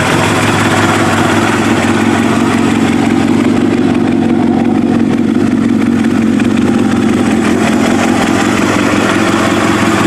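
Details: Kawasaki ZX7R race bike on FCR41 flatslide carbs, fuel screws 1 turn out, not fully cold, tank refitted; steady, busy inline-four burble that hunts slightly between about 1250 and 1500 rpm. Slight hunting, judged acceptable.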